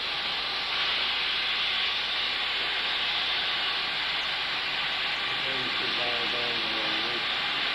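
Steady, even high hiss of steam building pressure with a faint change starting in the engine; normal warm-up, nothing wrong.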